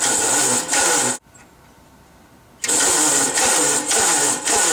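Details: 1945 Gravely L walk-behind tractor, first start attempt with gas added and oil lines bled: uneven starter grind in bursts with pauses, engine never catches; starter likely not spinning it fast enough, later started by pulling.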